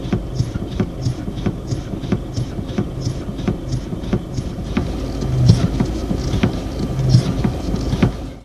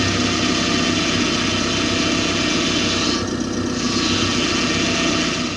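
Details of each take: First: Hydraulic power steering (DHB steering box) knock induced by rapidly reversing steering wheel direction: sharp regular clicks about three a second over a low hum; not a fault when originating in pinion-rack meshing and valve body internal stops. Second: Hydraulic power steering (DHB) pump moan: a loud, high, steady moan, higher-pitched than a growl, over a running engine. It occurs with low fluid during sharp turns or quick manoeuvres at speed. Fix: top up the reservoir and bleed the system.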